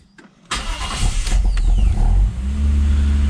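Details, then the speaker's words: Lexus IS200 1G-FE after overnight sitting, with a newly replaced fuel injector: brief crank, then a rough cough and grumble before settling to a steadier idle; owner suspects one injector still slightly leaking, a spark plug was found fuel-soaked. "So as we can see, it does have a little bit of a sort of like a cough and a grumble at the start, so I still think there's perhaps one injector that's slightly leaking."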